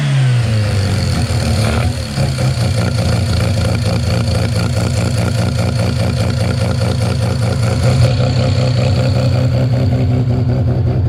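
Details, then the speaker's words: 13B rotary with EMPI IDA carb after roughly half-mm float adjustment (about 5.22): fires, stumbles and blubbers unevenly then smooths; still overfueling on startup, fuel dripping in, float set too high. "okay so actually still is um uh blowing open a bit and dripping into the uh the carburetor on Startup um and then it sort of cleaned itself up a little bit so I'm going to um back it off a bit more"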